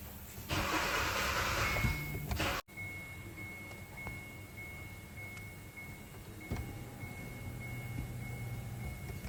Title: P1690 Kia Cerato Kia Forte No start and start and die condition ECU faulty